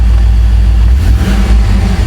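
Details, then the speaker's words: 2001 Chevrolet Z71 Tahoe, 5.3 V8, coils already replaced: deep rumble with uneven beat and stumbles when revved; check-engine light flashing, indicating a severe misfire, before scanning for the failing cylinder. "le siente una falla y bueno vamos a meter el escáner a ver qué vemos Okay ya empezó a dar el código intermitente que es significa un fire Severo"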